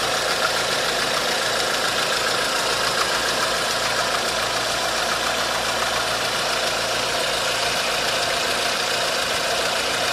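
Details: 1.4 16V petrol engine (Tunisia) idling with a fast, light, uneven ticking-knock; timing chain and tensioner already checked and the belt removed, noise persists, so the knock's source is still unclear.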